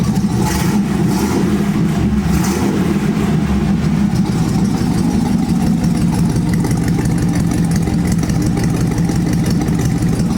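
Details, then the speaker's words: 1948 Ford F1 custom panel truck after replacing the exhaust manifold to fix a leak: steady, even petrol idle with deep exhaust note, no ticking or puffing; normal idle. "but let's crank it. A few little pumps. That sounds way better."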